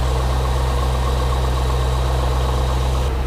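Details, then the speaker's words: Z06 V8 fired up after exhaust manifold work: deep, steady idle with an even beat and no ticking or knocking. Oil pressure good, no engine lights. Normal idle. "sounding good oil pressure is good no engine lights"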